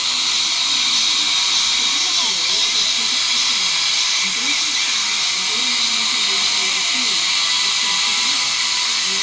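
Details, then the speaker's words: Orion R545A radio under restoration, first music after hunting a short in the tuning capacitor: loud steady hiss swamps faint music. The noise is suspected to come partly from the capacitor being temporarily connected by crocodile leads; not confirmed. "quality of the sound is still not very good there's a lot of noise"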